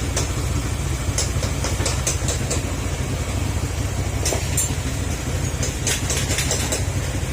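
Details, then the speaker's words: Honda Click 125 scooter after engine rebuild (holed engine, crushed piston, aftermarket parts), back to stock, high mileage; steady even low idle thrum, no knocking or rattles; now quiet, still to warm up and check for leaks. "Kaya ito ayan, tahimik na, back to stock na"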